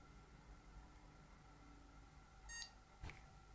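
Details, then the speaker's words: Desktop PC after troubleshooting RAM (no-POST issue, RAM removed/reseated) powers back on with one short, clean POST beep and a faint click in a quiet room; normal self-test pass. "all right so let's turn it back on again and hopefully it should work with one short beep"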